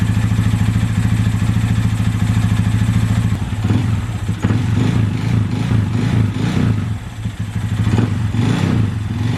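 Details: Honda Grom single-cylinder engine idling after valve adjustment (exhaust tight, intake loose) and timing chain tensioner inspection: faint uneven knock about two to three per second persists; timing noise first suspected, owner fears rod knock.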